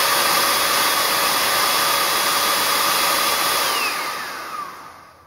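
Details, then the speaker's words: Bissell vacuum cleaner motor run with impeller cover off: loud steady airy high whine, pitch falling as it spins down after switch-off; normal running, much louder uncovered. "hey you can tell that's very loud it's way louder with that"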